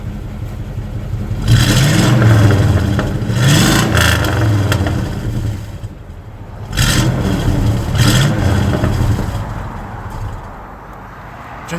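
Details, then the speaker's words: Chevrolet Tahoe V8 before Magnaflow dual exhaust upgrade, started and blipped: raspy, blatty rumble on each rev from a massive exhaust leak behind the end of the Y-pipe; failing driver-side cat suspected to have clogged the muffler, engine choking. "think the sad part, the only thing that's saving me right now is a massive exhaust leak behind the end of the Y pipe, and which is allowing flow for me to actually drive."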